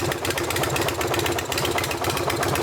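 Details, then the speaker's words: Sportster bobber V-twin after the air-leak repair: paint cleaned off and the crooked part refitted, torqued evenly between both cylinders. Loud, lumpy but even thumping with no stumble or lean hunting. Runs normally. "So I cleaned up where that paint was, and I also this time I tried to make sure to really torque it evenly, both up and down and between both cylinders, and that seemed to do the trick, and now we are in much better shape."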